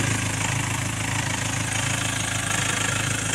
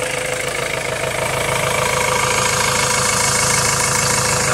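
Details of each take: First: 2.2 L Ford Transit common-rail diesel, before repair: idle clatter swells and sags instead of holding steady, rail pressure signal fluctuating up to about 1.8 V; faulty fuel metering valve on the high-pressure pump. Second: 2.2 L Ford Transit common-rail diesel after replacing the high-pressure pump's fuel metering valve: steady, even idle clatter with no hunting, surging or dips; rail pressure signal now steady around 1.3 V.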